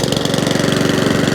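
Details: Mountfield 414/164 self-propelled mower rescued from a tip, carburetor likely dirty inside: quick even single-cylinder firing beat, steady rhythm, no misses or knocks. Normal running.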